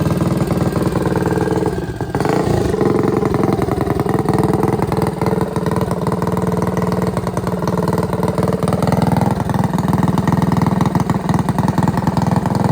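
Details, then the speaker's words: Trailmaster MB200 racing mini bike with a freshly built, ported Tillotson 225cc racing engine, first run-up during break-in. Loud single-cylinder bark with crisp, even exhaust pulses rising cleanly with throttle; runs healthy and sounds good. "everything's coming together boys I think it's going to perform pretty good it sounds good"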